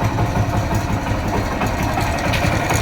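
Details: Hero Honda Splendor Plus motorcycle, about 15–16 years old, engine freshly rebuilt with new timing chain and roller: steady idle with a fast, light metallic rattle like a loose chain, also on light revving; worn camshaft.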